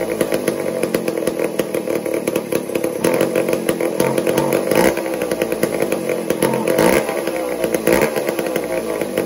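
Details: Old McCulloch 1-10 two-stroke chainsaw, long unused, running erratically then buzzing as throttle is eased and tuned, settling to a steady idle without misfires; something had been stealing spark until cleaned out.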